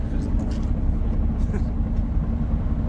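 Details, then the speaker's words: Freshly installed VQ35HR engine with new clutch and lightweight flywheel, idling: low rumble with a faint, uneven rattle; first thought to be rod knock, concluded to be lightweight flywheel chatter. Suspected, not confirmed. "yeah so you can hear the chatter a little bit um but that was that was a given it's a lightweight flywheel"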